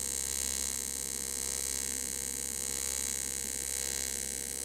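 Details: TIG-welding aluminum while adding filler rod: constant high buzzing hiss with a steady hum underneath and no popping or sputter; a smooth, stable AC TIG arc.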